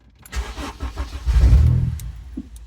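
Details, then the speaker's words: Honda EP3 K20 with idle air control valve removed, blocked off and disabled in KPro, first start after; engine catches and settles to a slow, lumpy, deep idle near stalling; idle very low. "Okay, let's go to, this is very low, very, very low."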